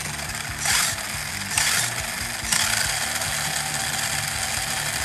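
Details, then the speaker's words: 1987 Tamiya Hornet RC car on original electronics (mechanical speed controller, Futaba servos and receiver, Radio Shack battery pack): three short bursts of whirring gear noise with a clean rise and fall, no grinding or skipping; running well. "and it sounds really good"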